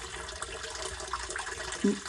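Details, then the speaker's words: Sump pump in a crawl space after fitting a new quiet check valve, which replaced the one banging loudly at cycle end: water rushes and drains as the cycle ends with no bang or thump; normal sump pump cycle, no check valve bang. "so now we have the quiet check valve and it's not doing any noise any pom pom pom that fixed the problem 100 let's wait for another cycle"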